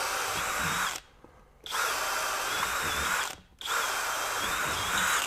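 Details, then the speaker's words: Kobalt KHD124 24V brushless hammer drill in drill mode, speed two, self-feeding auger bit into softer pine: three even bursts of high motor whine, no burping or grinding; drilling normally. "okay no problem at all even in speed two I'm gonna Step Up and we'll go to a three-quarter inch again don't expect any problem here not a problem"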